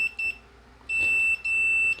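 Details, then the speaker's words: Fan motor winding test with multimeter, black line, red low, yellow second, white third: clean high beeps on third-to-second and third-to-first showing continuity; windings intact, though the line test indicates a short. "Here you can hear that there is continuity, third with first we see that there is continuity."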